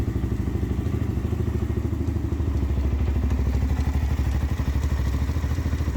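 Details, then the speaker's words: Z400 quad after replacing the one-way bearing and reinstalling the stator: slow, uneven low thumping about three times a second as the starter labours to turn the engine over. The starter is failing; the replaced one-way bearing was also showing wear. "all right so we found out the starters actually what's going bad which is fine because i can order one if it doesn't show up in time i can take the good one off the other bike put on this one"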